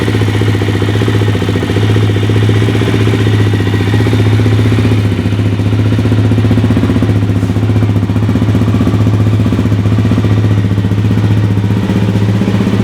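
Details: Suzuki LTZ 400 quad, first start after top-end rebuild (new cam chain, piston rings, oil hoses, intake valves re-shimmed): single fires right up and settles into a steady even thump, no trace of the former ticking.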